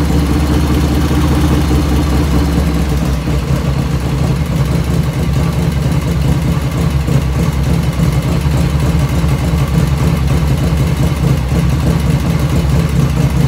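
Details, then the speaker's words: 1985 Harley FXR V-twin idling just after first start, still cold at about 49°F ambient, right after a float setting: steady, low, even loping beat with no ticking over the top, lifters dead quiet; normal idle. "When I first started up, no lifter noise at all, dead quiet."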